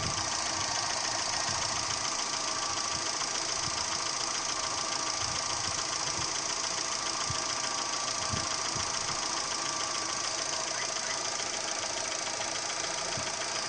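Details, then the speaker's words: Daewoo Gentra engine at steady idle with a sharp, fairly regular metallic ticking knock, about two per second; internal engine knock, source unknown. "Вот такой звук стучащий."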